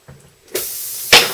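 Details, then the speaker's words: Cagiva Mito front tyre puncture repair: after pulling the foreign object out, a sudden steady hiss of air escaping the hole, then a louder burst, before reaming and plugging. "you can hear the air going there, so there we go."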